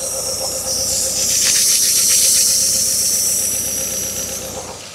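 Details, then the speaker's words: 2010 Hyundai Accent at idle, mic near engine: loud steady high-pitched hiss, vacuum leak from torn intake manifold gasket causing cylinder 4 idle-only misfire (P0300–P0304) despite new coils and plugs; gasket replacement fixed running. "this thing kind of sounds to me like it has a vacuum leak um I'm not sure uh if that's the case or not"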